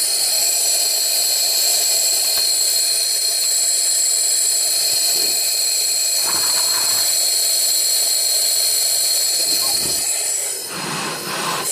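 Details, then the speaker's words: 2008 Subaru Legacy 2.5 SOHC replacement engine, cylinder 4 misfire: cylinder at TDC on compression stroke with compressed air applied, loud steady rush of air escaping out the exhaust; exhaust valve not sealing. "I know it's coming out the [Music] exhaust like hardcore can you can someone tell me why those exhaust valves are not"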